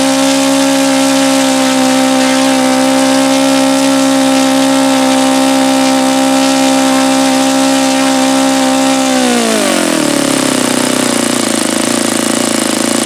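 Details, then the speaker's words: Saito FA-72a model four-stroke on its first run, about 71°F and sunny, no throttle stop screw, low-speed needle about two turns out: a steady high buzzing idle sags and fades away. It is apparently not tuned quite right for today's weather. "Yeah, so apparently it's not tuned quite right for today's weather."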